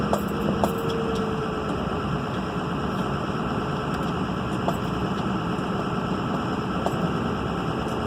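Engine running steadily with a faint thin whistle riding over it, most likely a turbo whine; cause not pinned down.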